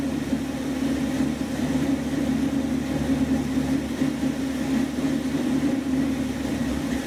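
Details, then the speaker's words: 1976 Dodge Dart V8, started cold and now warming past fast idle, running a rebuilt Edelbrock carburetor (cheap rebuild kit) that replaced a 780 vacuum-secondary Holley; steady idle with gentle even lope from a mild cam; clean, healthy. "so that's not really too bad this has got a little bit of a cam in it that would be in a stock engine it might even idle smoothly"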